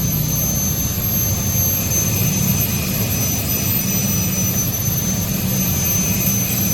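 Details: Honda Vario 125 scooter after a worn swing arm bearing was replaced, which had caused a rough rear wheel sound: steady, even drone with a faint high whine, no knocking, grinding or rattle; normal running.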